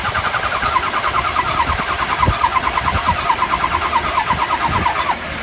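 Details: 2003 Ford 6.0L diesel with replaced high-pressure oil pump, IPR and FICM checked OK: steady cranking at about three beats a second, never firing or catching. Crank, no start.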